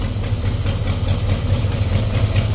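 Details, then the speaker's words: 1989 Dodge D100 V8 at idle with new headers and Borla exhaust: sharp, regular puffing tick on the exhaust beat; exhaust leak at header, header bolts need tightening, seems toward the rear. "So you can hear a little exhaust leak up here still. I'm gonna have to tighten some header bolts up, but she's a runner."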